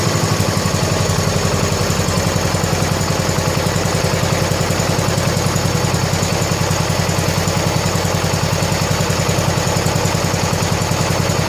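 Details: 1970 John Deere H3 garden tractor just after head gasket replacement, on old oil at about 47–48°F: a low, even single-cylinder thump at a slow, steady idle with no misses, knocks or hiss. Normal, healthy idle.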